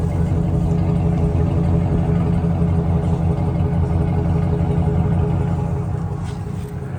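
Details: 2008 Chevrolet Silverado 1500 LT, 5.3 V8, 253k miles, heard at the rear: deep, even V8 exhaust burble at idle with steady firing and no misses, ticks or blowing leaks. Normal exhaust note.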